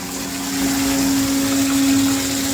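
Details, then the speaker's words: Mastercraft 1/2 hp submersible water pump running at full power: steady even mid-pitched hum with water rushing, no rattles or surging; normal running. "this is a good video for you guys to hear the noise especially in the [Music] bathroom"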